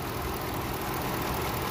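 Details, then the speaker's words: 2010 Ford Expedition 5.4 with codes P0016 and P0346, heard at idle: busy rattling clatter over a steady idle, listened to with a hose to the ear, suspected to come from the timing chain. "although normally these noises will be something from the inside, as I tell you, like sometimes a broken chain guide,"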